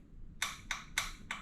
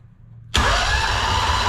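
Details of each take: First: Honda two-cylinder engine that sat 10 years in a shed, at key-on, starter not turning it: light sharp clicks about three a second with the engine silent; fuel shutoff solenoid clicking normally. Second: Two-cylinder Honda engine after sitting in a shed for 10 years: starter whirs with even compression pulses but the engine never catches; fuel pump not pumping, owner suspects diaphragm dried out and plans to pressure-feed fuel.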